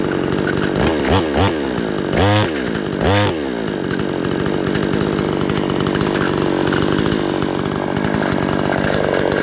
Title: rattling noise